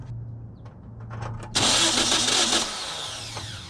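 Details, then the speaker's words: Customer car running worse after tune-up, suspected too-long spark plugs interfering in the engine, gap adjusted: about a second of loud harsh cranking that dies away without catching; test to see if plugs get bent back. "let me just crank it over and see if it bends that spark plug back it may try and run because i adjusted the gap"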